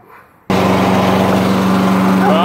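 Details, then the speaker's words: Toro lawnmower that kept starting then dying, after the old gas and the crud clogging the fuel line to the carburetor were dumped: pull start catches at once into a steady, even single-cylinder drone with no stumbling; normal running. "and in my mind tab and working great so it looks like just simply pouring the gasoline out"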